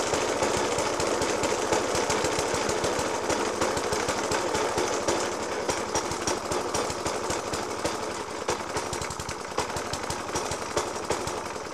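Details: Suffolk Punch 30S lawnmower (1991 era) with Dellorto FCH 20 carb: uneven idle with loud irregular bangs about three per second and missed beats, misfiring after spark plug change, decoke and carb clean; cause not found.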